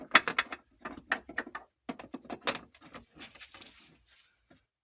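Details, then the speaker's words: Lada Vesta, about 5000 km, tailgate: sharp uneven clusters of hollow metallic knocks dying away, worse over bumps and when opening or closing; loose licence plate lamp housing stuck inside, banging the reinforcement and outer door metal. "включить даже не по обивке он стучит по усилителю и наружные стенки металла самой двери"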